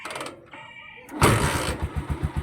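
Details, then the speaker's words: Motorcycle started after tune-up with valve clearance adjustment: starts and settles into an even steady idle thump with no more valve ticking; normal idle. "Ayan mga kawilder. Ang galing. Ayan, wala nang lagatik."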